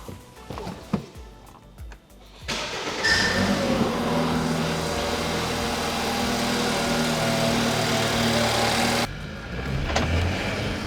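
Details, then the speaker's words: 2012 BMW F30 328i N20 engine, first start after a new turbo install: brief cranking, catches quickly and settles into a steady, even idle with no rattle; later feels normal coming on boost; normal start and idle. "yeah it gives a nice little kick right now"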